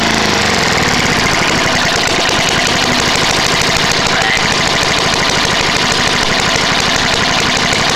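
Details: Trash-picked Tecumseh lawn mower engine, first start after many years sitting: harsh, loud, rapid uneven clatter over raspy exhaust; engine worn out, head gasket, carb and piston bad, burns a lot of oil. Rough running.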